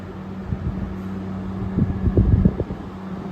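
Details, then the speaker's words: 2023 General Electric 5,000 BTU window air conditioner switched to fan-only on low fan, compressor off; steady low fan hum with soft even tone, no compressor drone, a few light bumps; normal fan-only operation. "Yeah, it sounds good, but without the compressor."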